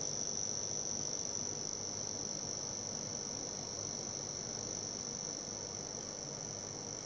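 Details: Cooler Master V700 power supply: a steady, shrill high-pitched buzz over soft fan hiss, occurring randomly under load with the fan spinning for 10–30 minutes. It persists in a paperclip test with no hardware attached and on any wall socket.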